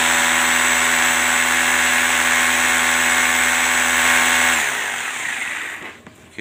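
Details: Rotary hammer drill, switch bypassed by direct wiring during testing: steady high even motor whine for about four seconds, then switched off and spins down; switch fine, cut-outs traced to contacts not meeting.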